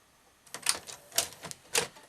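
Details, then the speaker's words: Panasonic NV-SV121 S-VHS deck, after cleaning the mode switch with contact cleaner: irregular bursts of sharp clicks and short whirrs as the mechanism keeps trying and failing to lace the tape; tape fails to load. "Powered up. Load tape. No, it's still not happy,"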